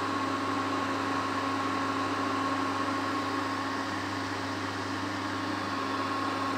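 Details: Prestige induction cooktop after replacing the faulty high-voltage resistor that caused E4 error: steady even fan hum with faint constant high whine, no beeping or cutting out; running normally.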